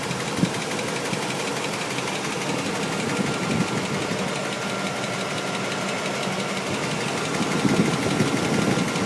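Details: 1998 Chevrolet Tahoe 5.7 V8 at idle, after a bad intake gasket was replaced: dull, uneven knock roughly twice a second in a rattly running noise, now with low oil pressure; engine knock.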